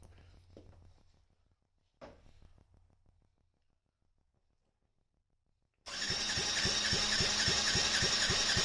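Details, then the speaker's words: Yamaha Raptor 50 quad, compression test after rings found badly worn: even, strong cranking pulses around 220 per minute, reading 135 psi or more versus 90 before, pressed-on gauge; healthy compression. "looks like we got all the way up to 13 five and that's just pushing it on with this not even with the uh you know the threaded type so looks like we're going to be good before we had 90 now we're at 135 if not more"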